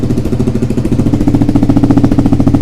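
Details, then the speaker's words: Suzuki SV twin during restoration, after rebuilding and correcting the cam timing: crisp, even twin-cylinder idle thump, steady with no misses, running much better; an exhaust leak at the top remains and needs new gaskets. "Bon, on est beaucoup mieux, ça tourne clairement, nettement mieux. Je vais la laisser tourner un peu au ralenti là."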